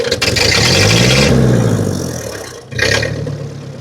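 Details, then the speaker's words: 1950 Ford 8N tractor in neutral after cleaning filthy spark plugs: climbs cleanly from about 300 rpm idle to full throttle and back, no stumbles or misfires; much better than before when it ran rough. "Yeah, that's way better than it was. There were 300 RPMs."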